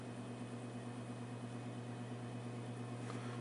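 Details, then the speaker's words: Vintage Arctic Air fan partly reassembled after hub cleaned and reattached, oscillation control tightened: quiet even motor hum with soft regular swish, no rattle or scrape; running and oscillating normally. "okay yeah seems to work just fine"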